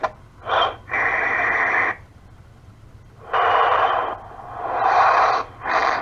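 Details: Cell phone call where, instead of the ringback tone, the line gives uneven bursts of harsh hiss and static with gaps. Garbled noise instead of ringback tone, cause unknown.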